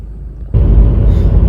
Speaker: so it obviously idles very well, like it's supposed to.